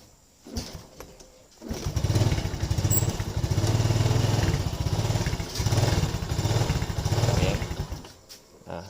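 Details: Yamaha Lagenda 115 FI motorcycle hard to start and won't hold idle: engine catches and runs in uneven surges, then dies; dirty throttle body suspected, fuel pump pressure checked next.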